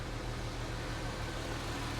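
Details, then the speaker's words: Jaguar XJS V12 idling after months of sitting: low steady drone with faint uneven stumble; owner suspects one or two spark plugs on one bank not firing, other bank smooth; unconfirmed. "Feels like it's missing one on this side. See where that's missing? And this one."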